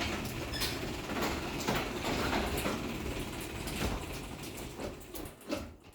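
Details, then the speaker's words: Linear LDCO 850 DC chain-drive garage door opener with very quiet motor: uneven rattling and scraping from the door and chain over the sprocket, squeaks near the end; door is loud and needs lubrication. "So I know obviously you can hear the door is kind of loud. I need to lube it up some. And you can also hear the chain going around the sprocket, which is normal for a chain drive."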